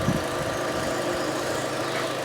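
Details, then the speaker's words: 2013 Fiat 500 Pop, possibly unserviced for 10 years, after new spark plugs, oil and filter; idling smooth and steady while warming up to temperature and being checked for leaks, no knocks or misses; healthy engine. "It's running as smooth as anything, as you can hear."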